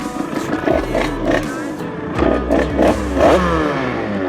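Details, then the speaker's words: Yamaha DT 86 Top Alu two-stroke, sprocket and circlip recently replaced: engine buzz rises and falls with throttle while a loose metallic chatter rides on top; the kick-start lever is vibrating. "Parce que là, ce que vous entendez qui vibre, c'est mon kick."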